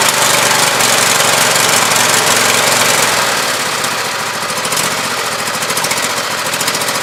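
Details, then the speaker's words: Briggs & Stratton 24 hp V-twin on a Husqvarna YTH2448 mower, 195 hours, recently had gaskets and sucked-in pushrods fixed after long storage: uneven pop-pop sputtering over rough fast running; one cylinder traced as weak/misfiring, compression test planned. "the main thing is this pop pop in sputtering sound and so far I traced it down to this cylinder on this side being a week"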